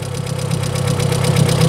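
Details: Volkswagen Polo 1.6 EA111 eight-valve engine at idle on start-up: fast light ticking over an otherwise smooth idle, diagnosed as hydraulic lifter tick; exhaust manifold also suspected holed.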